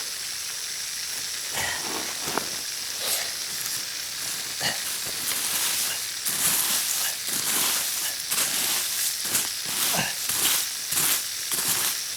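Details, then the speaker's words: Backyard drip irrigation pipe line under water pressure: sharp hissing that swells and fades in uneven spurts, like water escaping from a line leak; the listener thinks there may be two leaks and can't locate them. "sounds like it's right here my ears are are playing playing hookie on me it sounds like I I'm hearing two leaks and I'm not sure where they're at"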